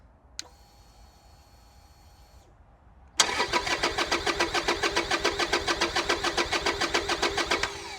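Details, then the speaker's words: Salvage Harley-Davidson, engine management light on: starter churns steadily about three and a half turns a second and never fires; traced to a blown main fuse killing ignition. "It's not even trying to fire, is it?"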